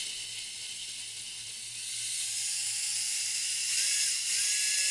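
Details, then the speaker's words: WLToys K969 1/28 RC car after cleaning brushed motor, excess bearing oil on contacts blamed: thin high-pitched whine running smoothly with clean pitch steps as throttle changes, much less sparking and smoking; normal running after repair. "a lot less sparking and smoking I think it was just super dirty and a little bit too much oil on the bearings got into the contact"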